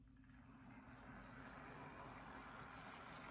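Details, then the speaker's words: Custom Tyco Chattanooga model train tender drive, cordless motor with flywheels and Athearn gears, after tune-up for slow running; quiet steady whirr of motor and gears running in reverse, no ticking, catching or grinding: normal running. "running just as well in reverse so there it is my custom taiko chattanooga all tuned up and ready to run again"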